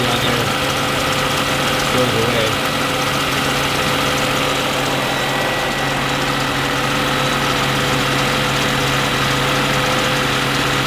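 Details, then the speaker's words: Mercedes C36, warm idle; a steady high-pitched belt whine goes away when WD-40 is sprayed on the inner side of the belt. The belt is fresh with no cracks, so the tensioner is blamed. Serpentine belt noise. "as soon as you do that the belt noise goes away so that tells you tension is bad on the belt or the belt itself is bad but uh I know the belt is good because it's still really fresh no cracks or anything so it's got to be the tensioner"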